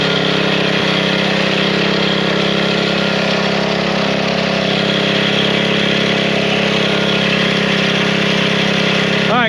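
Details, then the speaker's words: Small single-cylinder engine that would not start after sitting five months, running after a few drops of old fuel were drained from the fuel line: steady, even hum, no sputter or hunting; bad gas was the cause, now running cleanly. "Put it back on after just a few drops came out. Really fired right up. Bad gas."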